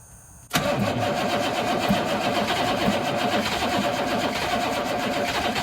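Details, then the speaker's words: 1983 Chevrolet squarebody 6.2 IDI diesel, not run in years, bleeding injector lines, back cylinder still not getting fuel, glow plugs not cycled: starter churns with uneven chuffing, never catches; no start from air in fuel lines. "IDI things yeah this back one still didn't get any fuel yet so yeah I'm ready"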